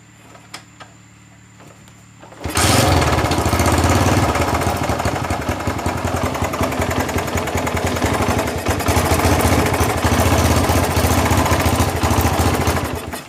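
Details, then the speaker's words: Honda GL Max single-cylinder motorcycle after replacing the timing (cam) chain. It had been very noisy and sat unused a long time. It fires and settles into an even putter with no top-end ticking: normal healthy idle. "Dan inilah suaranya setelah kami mengganti rantai"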